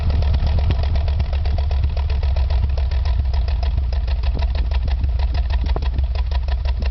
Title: Exhaust Misfiring